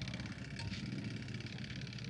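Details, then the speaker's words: Washing machine motor that, when switched on, fails to spin and only moves briefly; steady low hum with no spin-up, energised but stalled; capacitor suspected, otherwise a damaged motor coil, not yet confirmed. "Motor tidak berputar. Ini dia cuma bergerak sebentar seperti ini. Ini biasanya kalau tidak kapasitor biasanya spool motornya ada yang kena, tapi kalau ini masih bergerak sedikit kemungkinan kapasitor."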